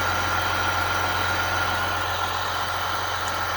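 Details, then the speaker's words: Chevrolet/GMC 3.0L Duramax diesel started after coolant control valve replacement and a successful valve learn, with coolant flowing. Smooth, even idle with a steady faint whine and no knocks or misses. Normal idle. "Well, it runs. Sounds like a motor. We got something happening in there."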